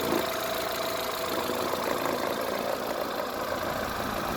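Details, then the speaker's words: Used Kia Morning small petrol engine at idle, recorded close up in the engine bay during a used-car inspection: steady, even idle with an airy hum, no knocks, misses or uneven beats; normal engine sound. "보통 엔진은 내연기관이기 때문에 소리가 납니다. 소리가 안 날 수가 없어요. 소리가 난다고 해서 차가 문제가 있는 거 아니에요."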